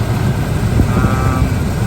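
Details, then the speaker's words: 1984 Camaro Z28 V8 idling while warming, thermostat not yet open: deep, lumpy idle with an uneven stumbling beat instead of a smooth burble; dropping a cylinder, misfire, rough idle. Owner plans to adjust timing. "Definitely sounds like she's not running on all 8 right now. Oh yeah. Definitely not running on all 8 today."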